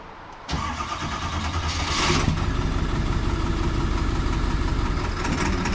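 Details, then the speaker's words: Diesel tow truck bought at auction, just started in the cold after glow plugs and a new starter, settling into a steady, even low idle rumble, no knocks or misses; normal cold idle. "oh it's running that's a good sign that on not that it's gonna make any heat man"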